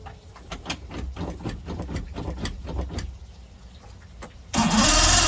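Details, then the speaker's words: Mercury Saltwater Series 150 two-stroke outboard, first start of the season after replacing a cracked carb hose blamed for bogging from 2000 rpm; about three seconds of cranking, then it catches and settles to a loud, steady run. Normal start and idle. "now I'm going to start it up and see what's going on man this is first start after the last season"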